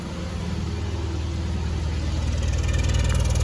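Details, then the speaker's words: 2010 Subaru Legacy/Forester with the plugs and wires already replaced, heard at the exhaust: idle with a deep, uneven pop-pop-pop about three a second, a misfire; the coil pack is suspected next. "hear that sound that pop pop pop pop that's a misfire"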